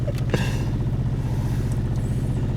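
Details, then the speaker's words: 2011 Hyundai Sonata with no throttle response, limp-home forced idle, throttle position codes P2101/P2106/P2110/P2135/P0121/P0221: very low lumpy idle around 500 rpm, slow uneven throb sagging as if about to stall, worsening over time; later fixed with used throttle body. "Yeah, this thing is like, it wants to stall, but it's not pulling me like you were saying. But I'm at like 500 RPM here."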